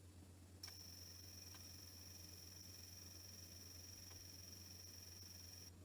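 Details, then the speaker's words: Sony D-EJ955 / Panasonic SL-CT700 portable CD player running with its lid switch held down: faint steady high whine from the spinning disc, occasional soft laser-reading ticks, then quiet; normal buffering and laser reading. "so you can actually hear the laser assembly as it's reading and then it stops and the whole time it's spinning so this is buffering the CD quite nicely"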